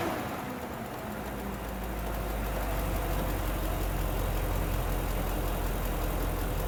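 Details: BMW M60/M62 V8 (E31–E39 535i/540i/740i) cold start after sitting over a year: loud, steady roar over the engine that doesn't ease off, from a faulty viscous fan clutch engaged when cold.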